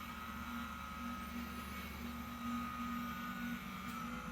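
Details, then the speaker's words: 2022 Ram 1500 air suspension in key-fob entry/exit mode, engine off: faint steady hum with a soft hiss of venting air as the rear then front lower in stages; normal lowering. "so you just press this twice it'll beep and it'll lower itself hear that noise that's it lower in the back and then it lowers the front it kind of staggers now the front's going down again"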